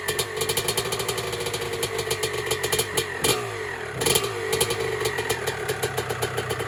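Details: 1996 Honda CR250 two-stroke, first start on a build, 93-octane pump gas, choke off: regular two-stroke popping idle with quick clean throttle blips, loud rasp from a cracked exhaust pipe; healthy.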